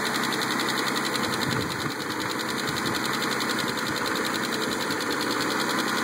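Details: Mitsubishi 3000GT jump-started with a jumper box, idling with fast, even light ticking over the engine note; lifter tick suspected.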